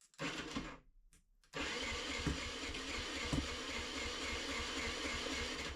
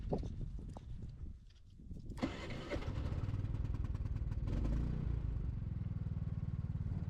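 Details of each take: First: Off-grid generator that stopped running after an oil change, battery charged and thawed: brief catch that dies, then a second pull fires into a rough, busy run; oil pulled into the carburetor, lighter oil suspected. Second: Off-grid generator after repair: cranks and catches after a couple of seconds, settles into an even, steady low thrum with no misses; normal start and run.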